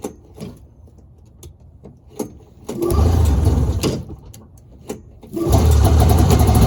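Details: 1983 Polaris Indy 440 snowmobile, carbureted two-stroke, cold start on choke after pumping, with a new pull cord following an engine rebuild: pull attempts, then it catches and runs in uneven low bursts, firing cleanly; healthy cold start.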